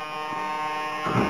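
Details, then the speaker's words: HobbyKing Sukhoi Su-26 50cc model, HobbyKing 15298 high-voltage digital coreless aileron servo on an Orange R910 receiver with a JR 9X2 transmitter and Spektrum module: fast, rough chattering buzz as the servo jitters at rest across nearly all of its travel; cause not yet found. "you can certainly hear if not see that Jitter and that happens but pretty much all areas of its travel"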